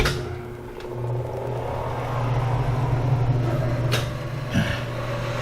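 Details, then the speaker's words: 1975 Hardinge HC Chucker lathe, gear one at 125 selected, variable speed pulley opened wide for slow speed: steady low hum with even belt drone, no knocks or squeal; normal low-speed running. "if you look down in here the motor has changed the position of that variable speed pulley and thus the pulley on the left is very very wide that's what's making it go slower"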